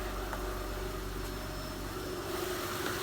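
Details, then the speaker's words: 2006 Honda Pilot at first start after timing belt, pulleys, water pump and 100k service: quiet even idle with soft steady hum, no knocking or rattling, sounds better than when bought; repair successful. "sounds good sounds like a high engine it'll run 600 000 miles we hope I think we've got a success on our hands it definitely sounds better than when I first got it"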